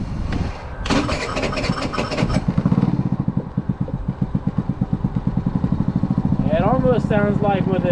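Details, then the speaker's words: Maddog 50cc, warmed up, restarts easily then settles into a slow, slightly loping putter; owner thinks idle may need adjusting up a little, unconfirmed. "being warmed up now I need to maybe adjust the idle up a little bit but we'll worry about that another day when it's warmer"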